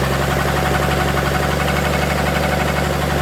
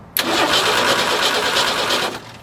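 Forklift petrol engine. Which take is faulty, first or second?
second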